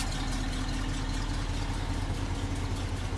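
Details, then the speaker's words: 1968 Ford F250 Camper Special, 360 V8, C6 3-speed automatic, power steering pump recently replaced; under-hood idle is a deep, steady V8 burble with no knocks, misses or ticks, runs well; a passenger-side exhaust leak has just started. "So there's 360. Again, runs real well."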